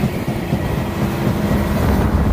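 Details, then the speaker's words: Combine being checked for vibration noticed the previous day; heavy low knocking thumps repeat steadily from the sieve shaker while running. Failed bearing in the shaker drive found. "here something's knocking i hear it it's gotta be in that shaker doesn't it"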